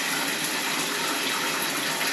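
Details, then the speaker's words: Toilet flushed after the shower/toilet drain line was cleared by air blasting: a strong, steady rush of water draining cleanly with no gurgling or backing up into the shower. The flush is normal. "so if we flush the toilet now it won't come up the shower let's find out"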